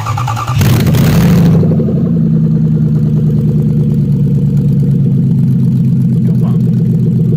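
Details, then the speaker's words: 1994 Lexus SC400 1UZ-FE V8 running on an engine stand, fuel pump now controller-driven with variable voltage, started off a jump pack: brief crank, catches and settles into steady, even low idle, no misses or knocks. Normal idle. "almost no return tool pretty little wasted energy that's pretty cool i smooth idle"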